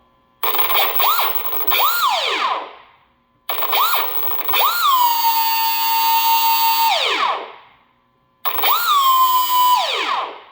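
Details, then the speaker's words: Carbon Aeronautics drone with a GR1105 motor, after ESC calibration with stick down on the third beat: three short throttle bursts, high whine rises, holds steady, spins down smoothly each time; motor running properly. "That's what you want to hear."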